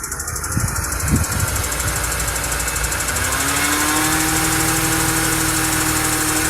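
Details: 2011 Mini One petrol engine running, with a light ticking that comes and goes and doesn't change speed with the engine, then settles to a steady hum; cause undiagnosed: intermittent engine ticking.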